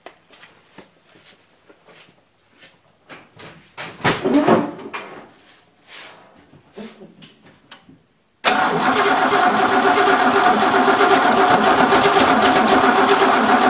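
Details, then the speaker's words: 1963 Oldsmobile V8, first start attempt after reassembly with the carburetor believed empty and needing to fill, battery weakening: steady cranking at about four beats a second that never fires. "yeah we'll give it a little bit of Go Juice here carburetor I'm sure is empty it's got to fill up so let's see if it pops see if it goes before my battery dies"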